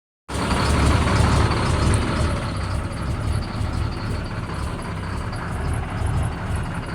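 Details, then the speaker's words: Caterpillar C7 ACERT truck diesel at idle with power loss: an uneven, loping beat from a dead injector; a cylinder cutout test points to a failed injector 5. "escuchemos como la falla se ha quitado mal funcionamiento del quinto vamos a ponerlo otra vez trae un tipo de falla con el vector número 5"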